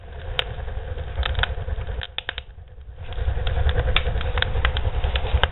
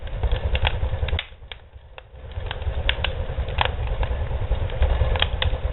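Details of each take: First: Barrel woodstove with a modified air intake, door opened slightly: deep steady low roar with scattered crackles and pops, easing then surging back as it pulls a hard, healthy draft. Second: Homemade barrel woodstove with modified air intake, door opened slightly; deep uneven roaring rumble with crackles and pops as the fire is starved of air and pulling for more; air-starved fire rumble.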